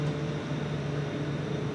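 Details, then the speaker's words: Grocery store freezer with hot gas defrost: just entered defrost yet the evaporator fans keep running with a steady low drone and constant hum instead of shutting off; possibly not programmed for that (unconfirmed). "Hot gas defrost, everyone I've had has always been the fans shut off."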